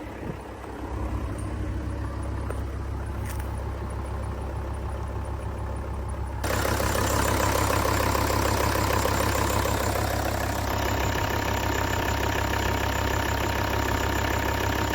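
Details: Volvo V70 D3 (P3 chassis) diesel idling with a steady low hum and an even ticking rattle about three per second; most likely a bad tensioner pulley bearing, mechanic recommended a new drive belt kit.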